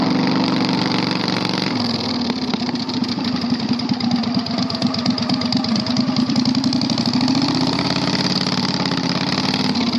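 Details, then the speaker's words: 670cc Predator V-twin go-kart being ridden; very loud raw crackling engine note rising and falling with throttle, no muffling; exhaust has no silencer. "I don't want to ride it anymore. It's way too loud. Like, we are going to get, like, I'd be surprised if the cops have not been called already. It is so loud."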